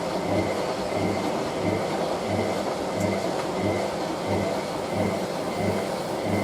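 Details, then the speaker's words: Hotpoint 9530W washing machine on its final spin, 60°C Colourfast Cotton programme with a bed throw; heavy thumping roar pulsing about 1.5 times a second, cabinet visibly flexing and the machine shifting, a badly unbalanced spin. "See the whole way the cabin is flexing right now. That sounds horrible."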